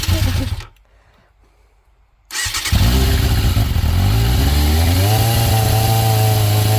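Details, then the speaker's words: 1996 Yamaha FZR 600 motorcycle, owned 7–8 years, restarted after being backed into and damaged: starter churns briefly, engine catches, blips and settles into a steady even idle; normal start and idle. "woo she sounds good all righty well she's running again guys"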